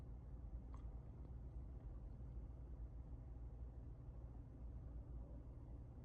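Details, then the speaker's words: Chevrolet Trax Crossover, cabin at idle in N and D after driver-side transmission mount replaced under warranty: low, steady hum with no knocks or shudder, about 34.5–35 dB versus 37–38 dB before; normal smooth idle. "소음 데시벨 엔단이고요. 동일합니다. 34.5에서 35 정도"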